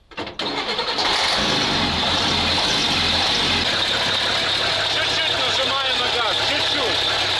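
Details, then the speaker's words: Praga V3S 6x6 truck long left sitting, started at idle after fuel pump adjustment: uneven, lumpy idle with wavering beat; rough running, pump needs fixing, may run better under load, cause unconfirmed. "A little. The car works incomprehensibly. Perhaps it will work under a load."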